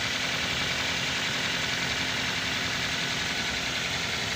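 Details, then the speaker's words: Used car engine check: gentle rev from idle, airy and even with no "krok krok" knocking or tapping; engine sounds healthy. "suaranya itu harus normal enggak boleh ada suara krok krok krok gitu ya"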